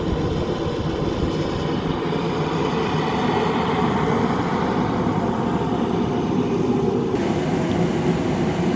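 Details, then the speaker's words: Craftsman 60,000 BTU forced-air propane heater running in a garage after a 5-minute initial burn: extremely loud, steady, even roar with constant fan hum and no change in pitch. Normal running. "One thing that you'll notice is it's extremely loud. I will not be able to do any filming with this thing on"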